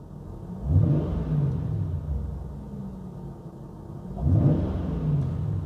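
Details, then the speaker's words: Jaguar XK engine at idle with two quick throttle blips that rise and fall back smoothly without stumble; scan-tool graph shows the mass airflow meter voltage kicking up correctly as more air enters; throttle response normal. "So that tells me that that sensor is switching correctly when I introduce more air into the engine. That's what it's supposed to do."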